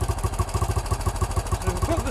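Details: 1968 BSA (Ian's) with a newly fitted carburettor: single-cylinder thumping about eight beats a second, kept alive by holding the throttle. The idle screw is set too low so it stalls, and it is turned up before the mixture screw is set.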